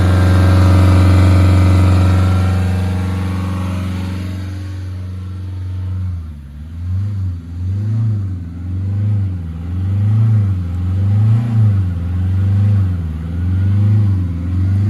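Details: Hyundai i20 flood-hydrolocked engine after clearing water with plugs out: held at high revs, then falls to an idle rising and dipping about once a second; normal running and revving.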